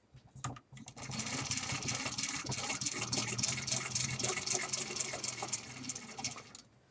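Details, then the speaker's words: Antique Stromberg-Carlson wall-phone 5-bar hand-crank magneto lighting a bulb: fast, even whirring gear chatter about 3.5 turns a second, easy to crank; healthy magneto output. "and it's really easy to crank and as you can see it's lighting it up"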